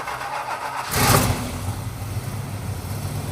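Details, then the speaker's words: 1968 Chrysler Town and Country wagon, 440ci big-block V8, first start after fuel system work, timing at 0: it catches with a burst, then an uneven, lumpy idle that stumbles; still misfiring, a big vacuum leak suspected. "Still has a miss. Does it have a big vacuum leak?"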